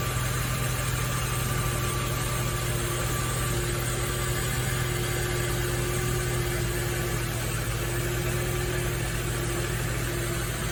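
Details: Nissan Fairlady Z Z33 (VQ35DE V6, automatic) at about 310,000 km, idling after a DIY engine overhaul: steady, even low idle with no knocks or ticks riding on it; the V6 settles smoothly and sounds healthy.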